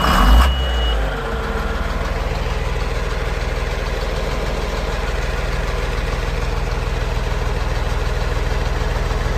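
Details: 1992 John Deere tractor diesel, restarted after warming up (cold morning, block heater plugged in 30–45 min, first start needed ~20 s cranking): quick catch, then steady, even diesel clatter at idle with no hunting; normal idle.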